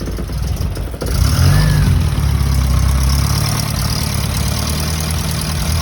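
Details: 1977 Holden Gemini with second-hand replacement engine (after head gasket and timing chain failure), first start after oil system bled; no ECU cold start. Catches after about a second, flares up, settles into steady low idle, no knocks or misses; oil pressure good.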